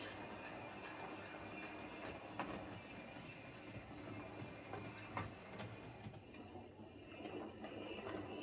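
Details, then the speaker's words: Hornby 08 shunter model locomotive on the layout after repair (connecting rods bent slightly to clear the brakes): gentle motor whirr and wheel rumble, only odd rail-joint taps, no regular click; clicking fixed, runs fine. "so there we go that's as we class await shunter running fine now"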